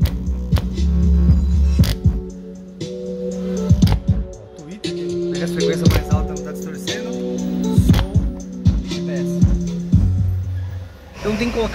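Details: Range Rover Evoque, front left door mid-bass speaker playing music: bass notes buzz and rattle as the blown speaker distorts. It was replaced with a same-standard mid-bass to keep the car original.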